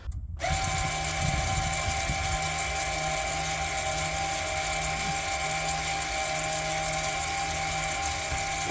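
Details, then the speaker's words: VW Passat B7 rear brake service, Carly app in parking brake service mode: steady high mechanical whine at one pitch for several seconds, then a clunk as the electric parking brake caliper motor winds fully in. "and what it does, all that noise you can hear is the whole electric handbrake winding all the way in, which is this motor here."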